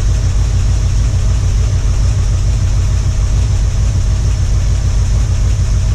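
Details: 1978 Ford Bronco V8 after about two years unrun: deep, steady, even idle with no knocks or misses. Owner says the earlier clatter is gone. Running normally.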